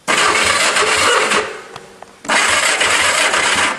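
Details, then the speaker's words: Go-kart engine with points and condenser ignition, points sanded and gapped: steady rhythmic cranking in two long bursts with an even starter beat and no catch yet, while checking for spark; spark confirmed, normal cranking. "So, final test. Turn the key on. Crank the engine and check for spark."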